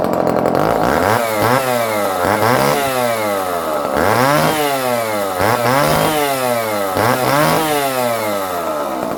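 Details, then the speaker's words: Barn-find Dolmar 118 Super chainsaw, about 1970s, first start after long storage: repeated clean revs from idle to a high scream and back about every two seconds, picking up sharply with no bogging, running well. "coming it sounds like a good s r very nice high picking"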